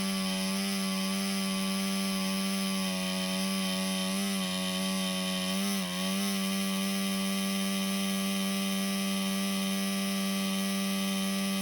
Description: All of a sudden, my laptop fan started making noise. The CPU overheats and shuts down.